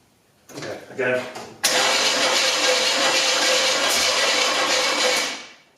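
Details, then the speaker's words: Freshly built 402 big-block Chevy in a GMC, first start attempt: fast uneven cranking that never catches; distributor found one tooth off, wiring also faulty. "it's terrifying standing in the engine as i'm trying to start it that's just a weird feeling oh man one tooth off"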